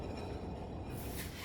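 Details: 1998 Dodge Dakota front wheel spinning: a steady, deep roar like a distant airplane from a bad front wheel bearing, to be replaced during the front suspension work.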